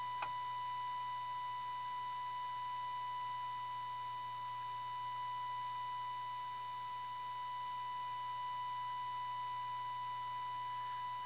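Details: 1932 Tiffany Tone Model 5 radio after full recap, during IF alignment near 465 kHz with signal generator: clean, steady high tone with faint low hum, no crackle or fading; playing normally.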